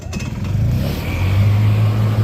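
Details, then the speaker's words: Yamaha G1 golf cart small engine, now running after fixing about four issues, including a corroded ignition switch, sketchy wiring and a trigger coil problem: picks up and settles into a steady even drone without stumbles or misfires; runs great, healthy. "Purrs too, listen to that. Runs great."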